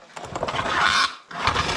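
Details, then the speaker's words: 1954 Chevy rat rod 4x4 starting during its first-move build. Brief cranking, then it catches and runs steadily after a short dip, with no knocking or grinding. Brakes are unbled and it is out of transmission fluid. "that sounded good"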